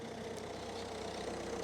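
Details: Citroen DS3 diesel, former non-runner after engine rebuild with new cambelt, water pump and cam: quiet, steady idle with an even tick and no knocks or rattles; healthy normal idle.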